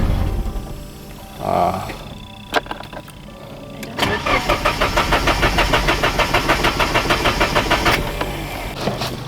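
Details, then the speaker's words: Vehicle with a newly wired electric fuel pump and new spark plugs cranks steadily at about three pulses a second for four seconds and never catches; no start because the fuel pump was wired in reverse. "Alright, so I might have had the pump reversed. So I'm gonna try this now. There we go. Yeah, I just had the pump in reverse."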